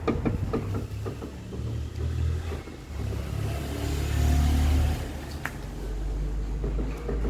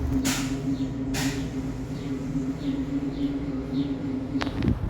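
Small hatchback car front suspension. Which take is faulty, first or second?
first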